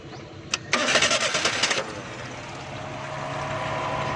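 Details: Engine after a loose part causing a noise was refitted: brief cranking, a quick catch, then a smooth, steady idle with no tapping from the top end; the engine now sounds healthy.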